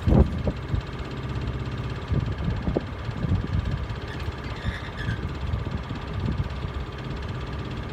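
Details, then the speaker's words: Miele Honeycomb Care W418 5 kg washer with suspected broken spider, drum slightly wobbly, overloaded with bricks on a 1600 rpm final spin: irregular heavy thuds and knocks over a low spinning rumble. "so when you when you rotate the drum it wobbles kind of you know ever so slightly and it's fine up until about 900 rpm spin once you put it on for a 1,600 spin makes a lot of noise"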